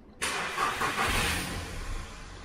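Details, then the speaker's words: VW Polo 1.2 with full service history: on restart engine catches quickly and idles steadily with no chain slap; timing chain rattle heard only on first start is absent now, a common Polo timing chain problem. "so you haven't got the noise there at all anymore so the first time you should have heard that noise we'll try and replay it again now and that's something that's very common with the polos it is a timing chain problem"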